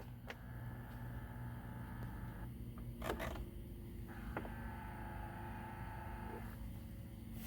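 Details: 2013 Chevy Impala with the key on, adjusting driver-side temperature. A quiet small-motor whir runs about two seconds, stops, then runs again. The blend door actuator works normally; the passenger-side actuator makes no noise and is broken.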